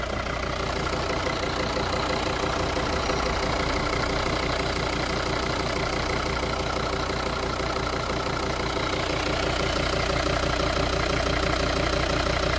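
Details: 2014 Volvo V40 D3 diesel revved and returned to idle: a steady, even knock about three times a second over the diesel clatter; owner wonders whether the injectors are to blame, cause not pinned down.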